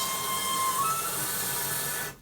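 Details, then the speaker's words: Toilet after flushing, refilling for about 20 seconds: steady hiss with a thin whistle that jumps up in pitch partway, then cuts off sharply. Only this toilet does it; fill valve whistling during refill. "Yeah. So you flush the toilet, it does that noise for like 20 seconds."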